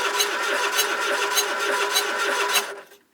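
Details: Abandoned Triumph Spitfire on a hooked-up battery, first start attempt: starter spins engine freely in even chug about 100 per minute but never fires; cranks with no spark.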